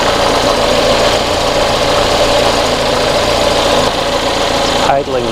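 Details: Volvo 480 project car idling after CEM replacement: steady even idle with smooth hum, no belt flap, but a slight exhaust leak audible from a joint repair that hasn't held.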